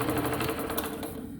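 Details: Delta saw running after about two hours of repairs: fast, even mechanical chatter with a steady beat and no odd knocks before winding down; the earlier metal-on-metal tapping is gone, one pinch block under the shoe still missing.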